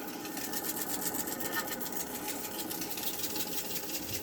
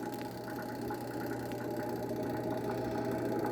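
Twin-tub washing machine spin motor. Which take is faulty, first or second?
first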